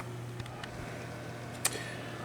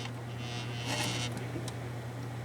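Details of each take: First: Gaming PC with a five-year-old ThermalTake PSU, after fixing the hard drive cage behind the buzz: only a soft, steady low hum with a couple of faint clicks, no buzzing or rattle; running quietly. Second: Desktop gaming PC, side panel off: a steady low buzz, like a 60 Hz hum, first blamed on the five-year-old Thermaltake PSU. It persists with the fans stopped and comes from the loose hard drive cage rattling.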